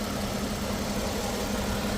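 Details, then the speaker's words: 2013 Lexus ES350 with loud noise when A/C is switched on, after fitting a brand-new automatic alternator pulley: steady, even idle with A/C on, constant low hum, no rattle or squeal. Normal idle with A/C on. "अभी देखो आप लोग देख सकते हैं कोई आवाज नहीं है। एसी चालू है। एसी चालू है। कोई आवाज नहीं है।"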